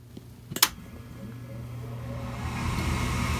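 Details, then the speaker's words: Slant-Fin VSPH-120 gas boiler starting after thermostat turned up; couple of sharp relay clicks, then low fan hum and rising airflow building steadily, normal inducer startup before ignition. "here it goes sorry I kind of jumped a little bit you know the relay still gets me so I believe the igniter will start"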